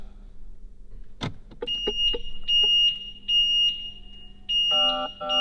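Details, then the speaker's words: Crash-damaged McLaren 600LT during rebuild, driver door card missing: repeating high electronic chimes about one a second, warning for driver door internal mechanical release fault because the door switch is absent. "The warning is because we don't have the switch on the door to open the door because the door card's missing."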